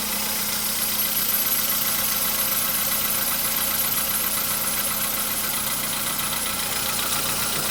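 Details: VW Polo Sedan at 101,705 km, cold engine, oil just above mid-level, cold start: thin steady high whistle over idle that soon disappears, slight knock beginning; new cold-start whistle, source unknown.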